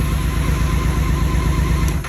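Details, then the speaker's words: BMW K1600 GTL inline-six started with a suspect ignition coil unplugged after clearing fault codes, demonstrating a bad coil: lumpy, uneven low beat with stumbling rhythm, then dies away; dead cylinder misfire. "You're gonna start it with that sucker unplugged. And this is what your coil gone bad will sound like."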